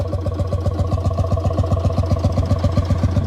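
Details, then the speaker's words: 1955 Lanz Bulldog D2402 single-cylinder full diesel tractor, heard up close by the straight pipe: slow, even thumping at about four beats a second with no knock or miss. Normal, healthy idle. "but there it is it's got a great little sound to it I get up close you can really hear it straight pipe you know straight fight"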